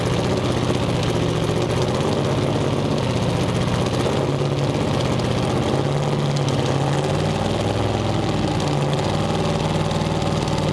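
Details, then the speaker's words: Twin-turbo 427 V8 on the dyno, running loud and deep with a choppy, uneven beat under the rumble. The misfire comes from failed ignition coils, four found bad with three failing in a row, cause unknown. "we don't know why three coils failed in a row but it's fine now unless those coils all were already on the way out"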